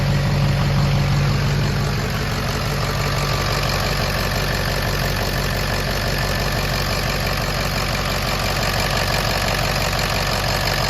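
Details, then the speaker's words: Ford 6.0 Powerstroke diesel after high-pressure oil pump discharge fitting diagnosis (yielded bolts): steady even idle clatter about three beats a second, no misses or knocks; sounds healthy. "truck sounds good though what do you think"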